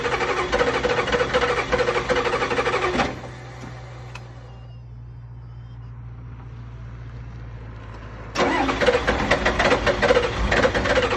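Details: Super hard start with lots of cranking: starter grinds about three seconds, goes quiet, then cranks again without catching.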